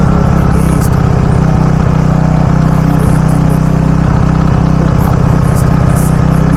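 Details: Robin small engine after ignition coil repair for a no-start: steady, even drone at constant speed, no misses or surging; runs smoothly, normal running.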